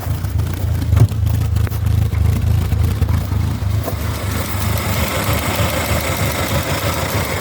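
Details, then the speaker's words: 1979 MG Midget 1500 four-cylinder after head gasket replacement, compression present in all cylinders: settles into an even, steady low putter with no misses or knocks; sounds better than before; normal idle. "Oh, she sounds better than what she used to."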